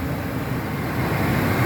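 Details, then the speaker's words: 2001 Ford F-250 after idler pulley replacement, idling: steady even idle, only injector ticking, no screech or squeal; repair confirmed, normal idle. "so the engine has idled now for about five minutes and we have not heard that noise come back the only thing we hear the injector is firing so this is a good repair"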